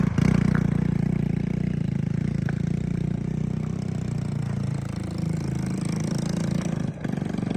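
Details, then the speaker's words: Honda ATC 110 three-wheeler after carburetor rebuild, choke issues: small engine idles lumpy and uneven, beats wandering and stumbling; more power than before but needs better fuel delivery, carb cleaning and bigger jets suspected. "needs some tweaking needs slightly better fuel delivery maybe needs cleaning"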